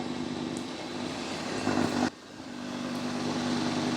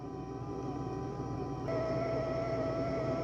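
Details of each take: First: Dreame X60 Max Ultra robot vacuum cleaning with suction turned down: a steady low whirring hum under the running noise. The owner is fairly sure it comes from the new vacuum brush roller. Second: Dreame X60 Max Ultra robot vacuum-mop doing hot-water mopping: a soft, steady mop-roller whirr, then the louder dirty-water pump whine joins. Fairly quiet, normal operation.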